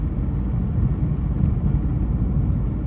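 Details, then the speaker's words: Mk1 Ford Mondeo, written off after an accident and salvaged from a scrapyard, on its first road drive: a deep, steady rumble with no knocks, ticks or whine; the engine is smooth and healthy. "Steering's precise, the brakes are good, gears are good, engine's sweet, really smooth."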